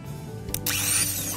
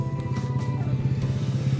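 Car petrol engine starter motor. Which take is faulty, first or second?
second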